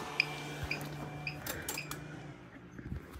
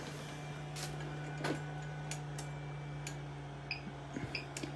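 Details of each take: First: Everstart 400 W inverter in a homemade portable power bank, internal fan running, powering a non-LED bulb switched to high; four sharp chirps about half a second apart as the low-battery warning sounds under heavy load; inverter low battery warning chirp. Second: Everstart 400 W power inverter in homemade portable power bank powering a non-LED bulb lamp; internal cooling fan switches on, steady low hum with constant, fairly loud fan drone — inverter cooling fan running.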